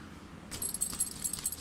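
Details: Rooftop tent in wind: light, irregular metallic clinking as the metal zipper pulls knock together, which is loud in quiet forest; the fix is replacing them with fabric/PVC pulls.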